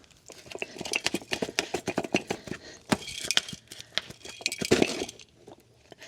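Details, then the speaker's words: Bat wing brush cutter gearbox removed, shaft turned by hand: irregular metallic clinks and crunching from chunks of broken gear floating inside the case; broken gearbox gears. "golly you hear that you can hear the gear you can hear the chunks of metal"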